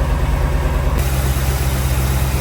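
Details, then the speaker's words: C20 on a swapped-in Crown Vic frame, V8 just started after a sticking starter solenoid, cold with thermostat still shut: deep, even idle burble with no ticking or knocking; idles cleanly and the exhaust sounds good. "she's running. Exhaust sounds pretty good as well."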